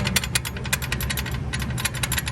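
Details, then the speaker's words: Freightliner Classic diesel idling: uneven metallic rattling bursts from the aluminum bell housing, which had a slight crack and worn holes; rattle heard as vibration, clutch itself unaffected; new heavy-duty bell housing bought. "that was that but did it affect the clutch no there's just rattles so that's what i kept hearing"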